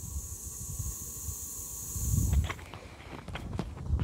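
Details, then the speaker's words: Ronseal Precision Finish Fence Sprayer, microphone next to the release valve after extra pumping: steady high-pitched hiss showing the tank is at working pressure, normal. "So I've been playing around with it and I've pumped it a few more times, and I can finally hear that hissing noise."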